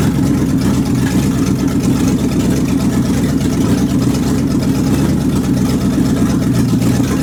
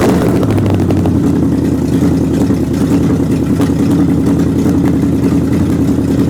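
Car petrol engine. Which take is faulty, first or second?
first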